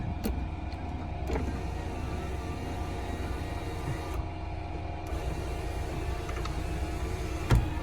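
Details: 1999 Toyota 4Runner, automatic, two-wheel drive: steady low electric motor drone from sunroof running smoothly several seconds, no grinding or clicking; sunroof works normally.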